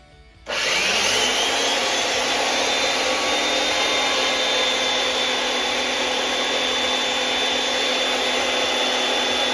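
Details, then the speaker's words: Makita 2012 12-inch lunchbox finish planer after changing to new sharp knives: motor spins up to a steady high hiss, smooth through the cut with no rhythmic smacking or knocking; clean normal cutting. "Now we have the knives changed. Let's go over what it should sound like after you have new knives in it."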